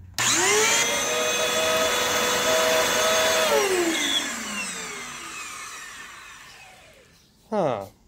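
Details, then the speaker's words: Vacuum (one of a donated batch) with no brushroll shut-off, first power-on: motor spins up to a high, steady whine with an uneven edge, then coasts down; doesn't sound right, cause not found; suction somewhat weak. "doesn't sound right but it's not loud it's still pretty quiet okay I take that back it's not quiet"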